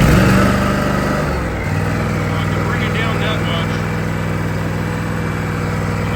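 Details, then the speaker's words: Older Toro Dingo 323 engine run at working RPM after fixing the throttle drifting down, speed untached; drone dips briefly then holds a steady higher-speed run with no knocks; throttle staying put at working speed. "So, let me fire it up. You may think or not think that this is a proper operating RPMs. I haven't tacked it to find out."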